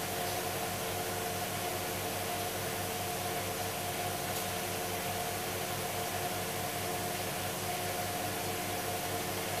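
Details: Hoover Dynamic DXCC69IB3 9 kg washer, final spin near the end (about two minutes left) of the cycle: steady even hum and soft drum whoosh, no knocking, grinding or thumping; spinning down healthy.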